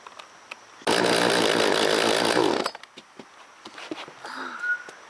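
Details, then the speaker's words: Old two-stroke chainsaw, not run in over a year, primed with fuel: fires and revs hard for about two seconds then drops away; crisp, even firing, running. "Why is it? And well, looks like she's running now."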